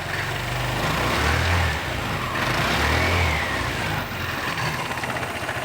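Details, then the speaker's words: Vespa GT200 scooter after Keihin carburetor cleaning and tune-up, warmed up over a minute: two quick clean throttle blips rising smoothly and dropping straight back to steady idle, no stumble; normal rev response. "sounds good comes right back to idle"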